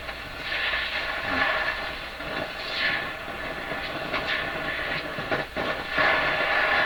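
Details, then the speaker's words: Canadian Crosley 12B tube radio with a large speaker, first checkout of chassis: thin, boxy, tinny sound with almost no bass, like a tiny speaker; weak output, cause not traced. "So this has got a great big speaker in it. It sounds like a little tiny speaker working here."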